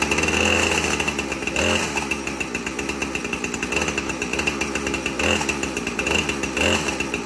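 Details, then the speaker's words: 2010 Husqvarna 455 Rancher chainsaw run briefly to move an overly tight chain and find the slack, WD-40 applied to loosen it: steady revving with high buzzing whine, chain turning, no clear engine fault. "I will definitely start it a bit and make the chain move a little bit and see where the slack is at and put some WD-40 on it to help it loosen up."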